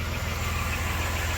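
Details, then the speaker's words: 1993 Dodge Grand Caravan LE, about 166,357 miles, idling on ramps after a new water pump, idler, tensioner, belts and coolant: a low steady even idle with no growling pulley, quiet and healthy, the earlier noise gone. "I don't hear no growley pulley that's for sure yep sounds nice and quiet that was our main problem"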